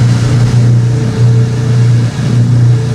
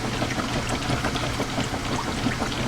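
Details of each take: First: Old washing machine draining towels during spin: deep, thunderous droning hum, steady with a loose, uneven throb; the old drain pump is unusually loud. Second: Top-load washer in low-speed agitation with 10 towels, agitator dogs replaced about a year and a half earlier: low steady motor hum under rhythmic water swishing, no knocking or grinding; normal agitation.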